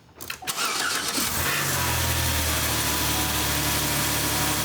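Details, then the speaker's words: 2006–2016 Chevrolet Impala 3.5L V6 started after new spark plugs and wires were fitted. It catches after a short crank and settles into a smooth, even idle with no misfire or stumble; it is running properly. "as you can hear, the engine is running perfectly great. That's exactly how this engine should be running."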